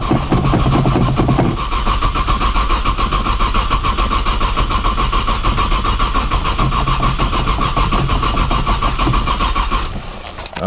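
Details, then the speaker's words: 1995 Nissan Maxima, 210,000 miles, push-button start, in snow and cold, new battery; starter churns steadily about ten seconds without catching, then stops; owner suspects a bad sensor and tries priming with fuel; cranks but no start. "I think it's got a sensor sensor bad or something try priming with fuel again man she does not want to crank today"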